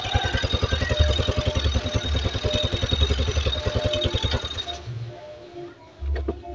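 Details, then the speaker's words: Honda Beat carbureted scooter (owner complained of high fuel use), air filter off, plug not yet replaced: an even, steady putt-putt idle with no hunting; RPM now more stable than before. "oke Ya ini RPM sudah terdengar lebih enak ini Mas gak engak ginjal-ginjal seperti di awal ya ini sudah lebih stabil rpmnya"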